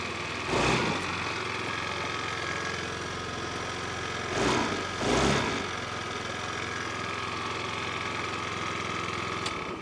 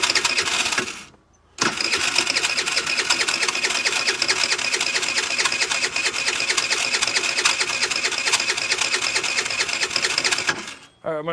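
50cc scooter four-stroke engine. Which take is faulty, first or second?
second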